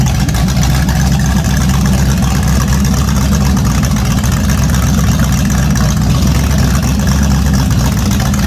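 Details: A naturally aspirated 010 350 Chev small-block V8 on an engine stand for an HQ sedan rebuild. Deep, loud, steady rumble through open pipes, firing evenly without misses or knocks. The carby runs well; normal running.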